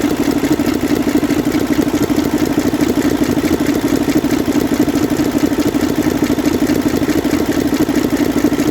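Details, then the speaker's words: Mercedes Actros six-cylinder diesel truck idling: hard, regular firecracker-like crack on its beat from cylinder three. Misfire caused by a seized rocker roller. "जब इसका answer खोला तो उसमें एक पटाखे की आवाज की बहुत ज्यादा नंबर तीन में"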